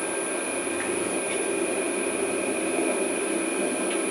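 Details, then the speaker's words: Original 1941 Westinghouse 1 HP three-phase lathe motor from a 13-inch South Bend, after cleaning and new bearings, running on a VFD: smooth even hum, steady high tone, no knocking or grinding; bearings quiet and healthy. "and quiet that's where I like so while she's running a couple pumps of grease in there"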